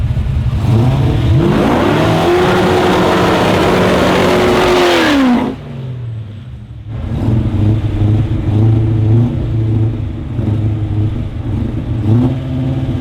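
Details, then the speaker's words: Car at a drag event making a hard pull. The engine note climbs, then suddenly drops away and falls flat at the top end; the driver reports it got a gulp of fuel while revving and lost all power. Cause unconfirmed. "that sounds like [ __ ] he at the top end yeah something felt wrong yeah a l even sounded terrible"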